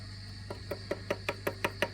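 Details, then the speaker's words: Old Fender Princeton Reverb amp, back cover off, after replacing the preamp tubes (V1 and V3), volume down: sharp taps on the tubes die instantly over a low mains hum, no ringing; the amp had been squealing with feedback, and now shows no tube microphonics. "so this is with volume down so i'm not expecting any microphonics nothing there and finally nothing there nothing there"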